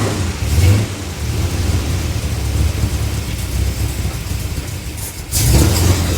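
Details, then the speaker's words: Chevrolet 327 small-block in a 1955 Chevy truck, first run after freeing a stuck distributor: light quick tap over the idle rumble toward the back; wiped cam lobe suspected, vacuum leak doubted, not confirmed. "Did you hear that tap back there? >> Yeah. What was that? >> I wonder if they run it to break in the cam and it wiped a lobe or two."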